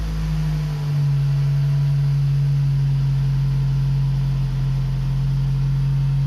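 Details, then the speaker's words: Toyota RAV4 2.0 1AZ-FE after rebuild for a connecting-rod knock at 2200 rpm (new timing chain and guides fitted): engine catches and settles into a deep, even hum with no knock or tick, healthy smooth idle. "работает четко"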